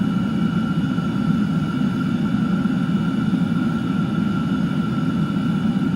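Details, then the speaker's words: Chinese diesel heater at full output with the fan set all the way up, outlet around 160–250 degrees: a steady, even combustion roar with a constant fan whine and no pulsing or sputter. The heater is running healthy. "So it's really bumping out some heat now. This thing's off the charts, 250, 200, let's see, let's let it get settled."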